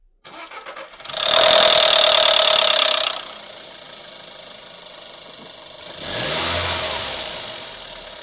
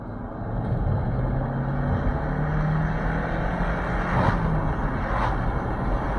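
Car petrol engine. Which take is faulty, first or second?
first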